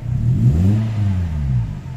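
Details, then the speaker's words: Toyota Altis 16-valve automatic after idle air control valve cleaning: throttle blip to about 3,000 rpm rises smoothly, then revs settle slowly back to idle without dipping or stalling; idle air control responding normally. "3,000 pigil baba normal Wala siyang bagsak na diretso"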